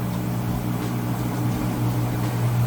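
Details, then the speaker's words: Whirlpool vortex top-load washer, final spin cycle starting with the drain running: a steady low hum and even drone with no knocking or thumping; the spin is smooth, balanced and quiet. "Final spin cycle. It's getting started. You can hear the drain running."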